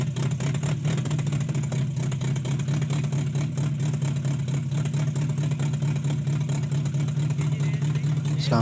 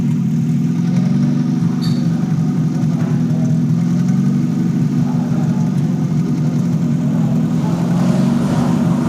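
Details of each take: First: Toyota Corolla XLi/GLi converted diesel to petrol, long cranking to start, dies on acceleration: engine runs with uneven stumbling misfire, traced to cam/crank sensor wiring fault. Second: Toyota Corolla XLi/GLi converted from diesel to petrol, after fixing a cam/crank sensor signal fault that caused long cranking and stalling, silencer removed: even, steady idle hum with no stumbles, running smooth.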